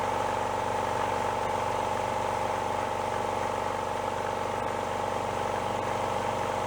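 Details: Repaired older air compressor (rod knock fixed) after replacing a worn, thin belt with a fatter one: steady pump thump about four per second with constant mid-pitched hum, no knocks or slipping; sounds better, no smoking or breather oil, normal running.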